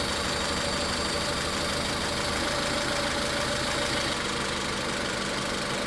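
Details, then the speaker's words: Car with a busy, uneven idle and a faint irregular stumble through a steady mechanical clatter. Coil and injector power balance tests show cylinder three misfiring, and the cause is not the spark. "Entonces, ya en este punto nos estamos dando cuenta de que hay falla en el cilindro tres y de que el problema no es la chispa."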